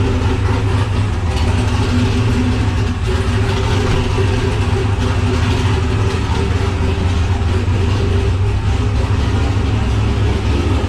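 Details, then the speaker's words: Nissan Patrol Y60/GQ with turbo LQ9 LS V8 and Holley Terminator X ECU, started dead cold: deep, steady rumble at cold idle, even with no misses or knocks. Normal. "the car runs actually runs really good it's dead cold now i will start it up in a sec"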